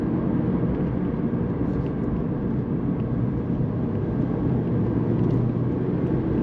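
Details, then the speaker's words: Mazda MX-5 ND driving on the road after fixing a suspension problem caused by lowering: steady tyre and engine rumble with no clunks, knocks or creaks. Suspension is normal and quiet so far. "and we're not making any noises it's early days it's early days"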